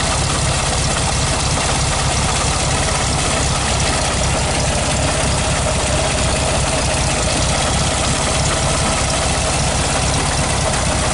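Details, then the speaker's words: 1969 Volkswagen Beetle, 1500cc air-cooled flat-four, cold start needing a bit of choke on the third try: even, steady clattery idle with a deep low thrum and no misses or knocks; normal cold idle. "feel cold but this stage on I just love this sound the air-cooled Volkswagen sound is music to my I don't know what do you think"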